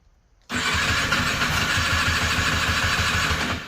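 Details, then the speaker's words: Polaris Xplorer 250 4x4 ATV that broke down while plowing snow: starter churns at about three beats a second with a harsh scratching rasp over each stroke and almost no compression; something inside the engine is scraping. "You hear that a lot of scratching going on a whole lot of SC got hung up on that thing just now got a whole lot of scratching going on that's not good"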